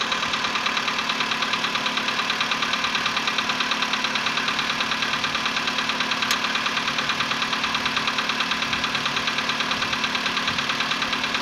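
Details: VW Polo Sedan, CFNA petrol engine, 105,000 km, before decarbonizing: cold start at 20°C after ~15 hours parked; rapid even metallic knocking about three per second over idle; cold piston slap that fades within a minute.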